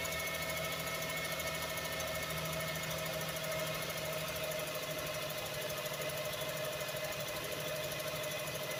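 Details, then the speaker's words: 1999 Toyota Sienna with codes P0300 and P0302, running: uneven stumble and a clattering mechanical knock from cylinder 2, which showed about 5-10 psi against 180 psi on the others; owner suspects its valves. "all right let's start right up so um i would i suspect it was the wow because there was some mechanical noise going on in number two cylinder"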